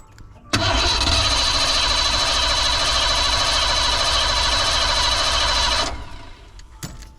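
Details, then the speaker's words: 1987 Ford van, first revival attempt: starter spins at an even beat for about five seconds, fuel pump audible, but engine never fires; cranks but won't start, fuel pressure to be checked next, cause unconfirmed. "Okay, she's not starting. So, let me go get my fuel pressure gauge."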